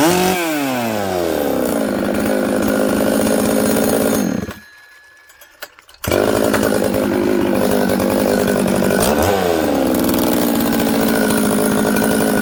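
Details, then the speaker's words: Husqvarna 266XP chainsaw on day two, with 390 carb, high jet at 7/8 turn and low jet at three turns, after idling outside 10 minutes: idles and restarts easily but is lazy coming off idle, smearing slowly up to high rpm; carburetor out of tune. "oh okay so i threw the saw outside for 10 minutes and let it idle it idled it's out there it restarted half a pole but it's lazy coming off idle"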